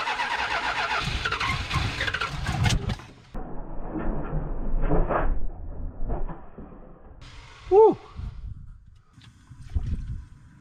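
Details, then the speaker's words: Barn-find 1971 Plymouth Satellite (possibly a 440) on last year's gas with av gas in the carb: catches in ragged bursts, stumbles, dies back and kicks back. Bad gas and timing or tune out are suspected. "something's Out Of Tune out of [Applause] time H well spraying gas so there should be gas in the bowls I think it's just bad gas why is it uh kicking back like that"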